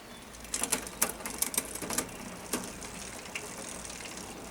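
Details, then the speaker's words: 2005 Orange P7 mountain bike during a Shimano Deore 1x10 drivetrain upgrade; irregular sharp ticks and clatter as the cranks turn; noisy drivetrain, freehub suspected and added to the order list with a 10-speed quick link. "free Hub on the list to order cuz I don't know if you can hear that but it sounds"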